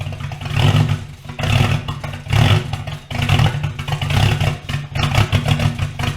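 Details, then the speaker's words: Porsche Cayman with swapped Audi V8, after a bank was found not firing: idle surges up and drops back about every second with uneven stumbling beats; hunting idle with misfire, suspected vacuum leak, unconfirmed. "I think there's something on the vacuum system that's causing me a bit of a hunting problem there was definitely some misfire in there"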